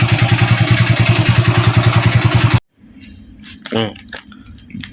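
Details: Used Honda Wave 110i at idle: a fast, even ticking rattle from the cylinder head, about 3–4 per second, then the engine cuts; cam chain noise, a slack chain from a failed tensioner.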